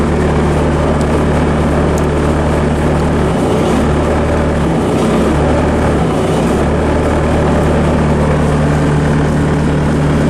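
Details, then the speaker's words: 90s Bobcat 763 C-series Hi-Flo with failed BICS computer, bypass wired so the master hydraulic valve solenoid is energized. Steady deep diesel drone holds speed as auxiliary hydraulics come on, no sag or bogging; healthy engine under load. "I want you to listen for the bogging of the engine on the auxiliary controls. You don't hear anything."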